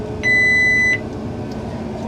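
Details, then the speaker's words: Forage chopper cutting third-cutting hay, with small stones audible passing through. A sharp steady beep of about 0.7 seconds over the machine's low rumble: the metal detector tripped on metal in the feed roll just right of center. The feed rolls were then reversed. "So it's telling us that we have a piece of metal on the feed roll just to the right of center."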